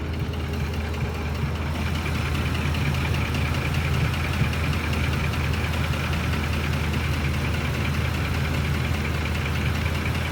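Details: Ford F150 engine idling: a light, quick knock over a steady low idle; owner suspects the VCT phaser or the timing chain tensioners, not confirmed.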